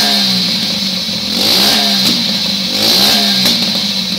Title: 125cc pitbike backfiring